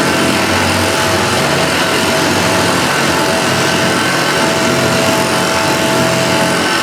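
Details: Restored Hoover Junior Dirtsearcher 1354A upright vacuum after a stretched agitator belt was replaced: steady, even motor roar with constant rushing airflow, no slapping or squeal; vacuum and agitator sound healthy.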